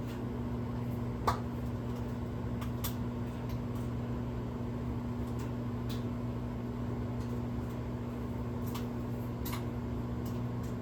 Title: Oil Popping Noise And Sound Inside Of The Microwave 4/3/26